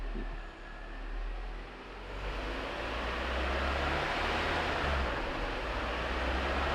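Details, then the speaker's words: Peugeot 307 running in gear on a lift after clutch repair and transmission reassembly, steady low drone and rising rush through the gears with no whine or grinding; transmission normal. "e aí a gente vai botar o carro em funcionamento para ver como ele se comporta em glasgow leves ela não tem nenhum tipo de ruído"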